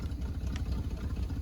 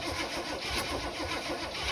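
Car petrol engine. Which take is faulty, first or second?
second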